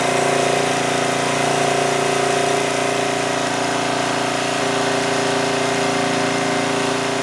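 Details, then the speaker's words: 2002 Coleman Powermate 5500 generator after engine speed was lowered to bring output from 135 V down to 120–121 V: a steady, even governed drone with no hunting, knocks or surges. Normal running. "all right so with that I think we adjusted the engine speed adequately it was down to 120 121 which is fine I think that's good I don't want it to run too slowly"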